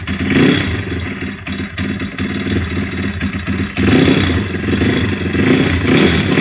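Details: YX 160 four-stroke engine running after full teardown, valves adjusted, slight piston pin play, no connecting rod or camshaft play, camshaft loose with bearings in its seat: metallic clatter riding on the engine note, varying with revs; origin of the knock unknown.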